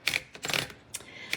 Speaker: Now the little white lever right here, this is, what this does is this kind of disengages the roller. You can hear it clicking.